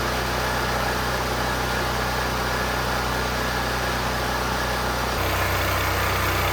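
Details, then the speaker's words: Firman T07571 generator, brought in running rough and blowing white smoke, after lowering overfilled oil, runs in the driveway with a steady, even beat and no stumbling once the smoke clears; possible valve clearance issue noted after intake backfire. "I let it run there for a bit in the driveway and the smoke cleared up, which would make sense. It burned all the oil that was in the top of the cylinder and seems to run okay."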